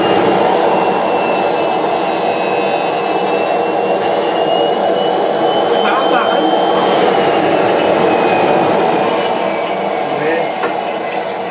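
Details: Homemade jet engine 4.0, second test run, ignited by a ceramic glow plug: steady high whine climbs slightly then sags as the engine winds down without holding speed, because thermal expansion made the rotor rub the housing; housing to be machined on the lathe.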